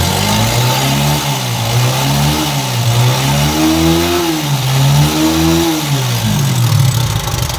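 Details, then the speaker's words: TVS Apache RTR 160 4V motorcycle with excessive engine noise and white smoke, revved up and down: a harsh mechanical clatter rides over the exhaust. "Apache 4v bike 160 है engine में आएंगे बहुत ज्यादा sound ए रहा है"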